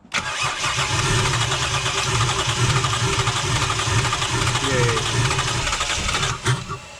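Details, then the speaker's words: Toyota/Lexus 1JZ/2JZ engine cranks steadily about six seconds but never catches; spark confirmed, no injector clicking heard; ECU not pulsing injectors due to leaking capacitors. "so as he heard there again the vehicle still tried to start and we did have spark"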